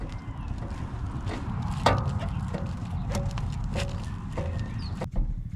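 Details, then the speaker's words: BMW 5 Series F10 while driving: sharp, irregular knocks and a loose clunk from the front end over the road rumble; a front suspension knock from a suspected failing front lower control arm. "yep sounds like an control arm is going bad"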